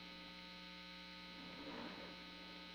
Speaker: a 60 cycle hum but then they're never quite as good are they